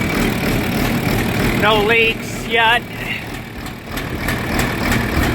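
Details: John Deere 4430 tractor diesel just after replacing the leaky fuel filter (cracked glass housing): steady low idle rumble settling after the start, no misses or knocks, no leaks yet; normal diesel idle.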